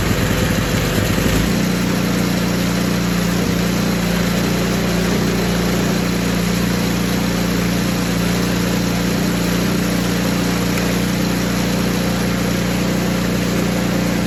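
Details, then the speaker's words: Poulan Pro 961980056 24-inch 208cc snowblower after carb cleaning, new primer bulb, fuel line and fresh gas: stumbles briefly, then settles into a steady, even run with no surging; running normally. "so it did get running it's running right now you can probably hear it outside I'm gonna let it run for 15-20 minutes"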